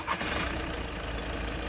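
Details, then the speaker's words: High-mileage VW/Skoda car, about 230,000 km, used-car check: starts immediately with no delay, then a quiet, even idle hum with no knocking or rough beat; idle judged excellent and healthy. "Engine starting late ஸ்டார்ட்டே இல்ல பக்காவா start ஆயிடுச்சு என்ஜினோட ஐலிமே சூப்பரா இருக்கு."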